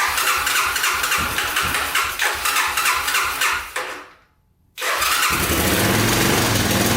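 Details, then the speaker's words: Honda ATC250SX three-wheeler after the stuck timing chain tensioner was freed. Uneven chuffing run with fast metallic ticking, about four a second; it cuts out, then restarts rough and clattery. Owner suspects a loose timing chain: engine rattle while running. "oh it's definitely still there i think it's just a loose timing chain"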